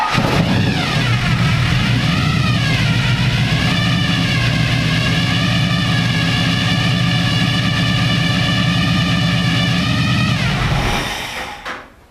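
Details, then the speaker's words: Stock 350 V8 with 6-71 supercharger and two carburetors in NASCAR car, first start, after richening carburetors, fuel pressure 6 psi; blips then strong even lope with steady blower whine until shutoff; normal idle. "okay yeah that was it all i needed was just to richen up the carburetors and it's running great"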